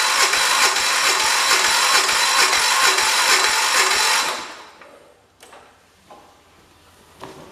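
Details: 1973 112 after new points, coil, condenser and spark plug, with spark confirmed and fuel on: even cranking at about two turns a second for four seconds with no firing. Cranks but won't start.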